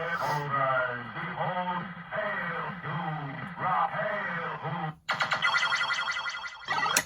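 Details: Williams System 6/7 pinball sound board from a Pharaoh, after replacing ROMs and sockets, testing the 6810 and replacing a dead 6821: clean repeating electronic sweeps and tones without crackle or dropouts; sound board working normally.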